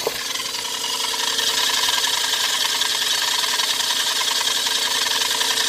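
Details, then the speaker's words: Every van with its AC compressor belt removed: noise lessened but still present, louder outside the car. A steady hiss and whine over the idle; alternator, AC compressor or crank pulley rubber were suspected. "well perhaps the noises just lessened yeah on when you're outside the car you can hear it a lot worse yet still there"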